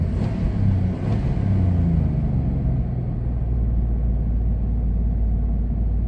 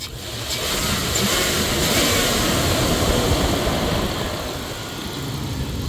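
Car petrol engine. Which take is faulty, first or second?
first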